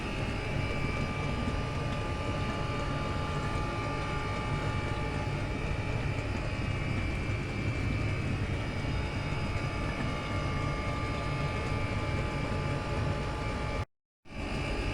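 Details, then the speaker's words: Chinese diesel air heater on setting 3 of 6, exhaust piped through a roughly 3-gallon bucket of water to heat it: steady low roar with bubbling gurgle beneath, pipes starting to shake; running normally. "It's quite funny. The pipes are starting to shake a little bit. It's gurgling away there."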